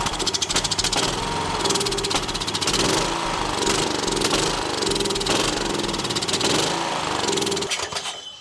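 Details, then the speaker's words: Troy-Bilt XP Horse lawn tractor donor engine with good spark: it pops and runs in uneven, surging bursts, then dies after about eight seconds from fuel starvation, with the carburetor, fuel lines, filter or tank suspected. "Okay, we definitely have a fuel delivery issue. I don't know if it's a problem in the carburetor or fuel lines."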